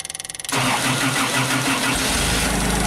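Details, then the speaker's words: JLG 260MRT baby scissor lift with new starter, electric fuel pump, battery about 12 V: brief starter whir, engine catches and runs rough a few seconds then stalls; suspected computer getting no rpm signal from crank speed pickup. "we still have a start run stall situation so my suspicion right now is that this computer does not know that the engines running there's no rpm signal and then it just shuts everything off"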